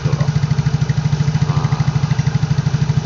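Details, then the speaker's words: Yamaha Mio Soul GT 115 automatic scooter idling after cleaning carbon from the head, valves and piston crown; even, steady putter with no ticking or knocking, idles smooth. "lahannya tetap saya pasang balik saya nggak ganti tetap bisa halus gitu loh"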